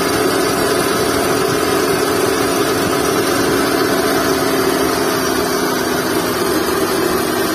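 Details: Skoda Fabia at steady idle with a faint whirring hum and no real squeal; belt and tensioner bearing noise suspected, not confirmed.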